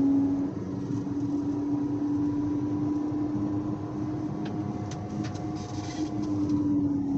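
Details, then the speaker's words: 2014 Audi Q5 at 40–50 mph: a loud, steady airplane-like droning howl over the road noise that gets worse with speed; both rear wheel bearings are suspected but not confirmed. "I think both rear wheel bearings are shot and that's why they're howling we'll see it's very loud it sounds like an airplane"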